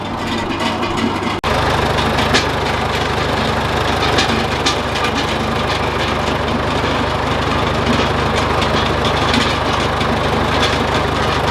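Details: John Deere 410C backhoe diesel on newly replaced batteries (old ones weak), alternator reading 13 V: after a brief cut, settles into steady even low idle with no stumble or hunting; healthy.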